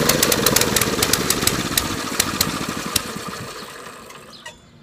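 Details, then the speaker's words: Mini-bike small engine, first start attempt after sitting 6 years, new gas, spark plug good, sprayed with starting fluid: irregular popping bursts, about three a second, fading as it dies; won't stay running, cause unconfirmed; owner next cleans air filter, clutch. "oh it's almost there it wants to live so bad okay oh we're getting there"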